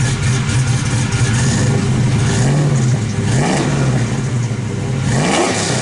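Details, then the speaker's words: Chevrolet Suburban V8 after new clutch slave, dual clutch flywheel, new headers and spark plug wires: revs up and drops back cleanly with deep even note, no clutch rattle, spins quicker than before; healthy revving. "Light, like there's like feels like there's feels like it's spinning quicker than it was."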